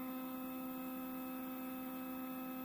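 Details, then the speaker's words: Older Xylotex 3-axis stepper controller run by GRBL 1.1 through a DB25 shield, starting a job before heavier cutting: quiet, steady electric whine on a few even tones, no skipping, grinding or stutter. Normal stepper motor operation. "it sounds pretty smooth it'll get a little rougher once it starts cutting a little more"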